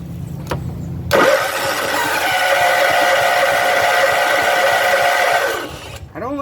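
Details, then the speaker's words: John Deere CV13S engine on a riding mower, after a new fuel pump and with the carburetor fuel line refitted: fires quickly, then runs with a raspy, droning note that turns ragged and dies after about five seconds. Carb bowl is loose and the carb holds muck; owner plans to clean it. "don't like that sound it starts making after a second, but let's see."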